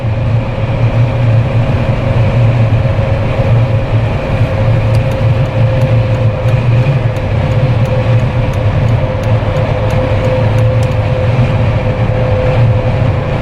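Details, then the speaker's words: Jeep Wrangler with LED light bar after a no-cost whistle fix, at about 110–120 km/h on the highway: even low road and wind rumble, no whistle on top; only the wind hitting the Jeep itself, super quiet. "I hope you guys can hear the wind that's hitting the Jeep itself though. quiet, like super, super quiet."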